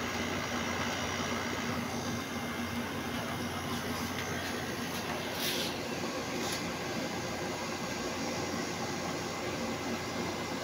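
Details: Second-hand Samsung aircon after cleaning out a blockage that caused timer error and sticking on setting 1: even steady airy fan rush with faint hum, no rattles or buzzing; running fine.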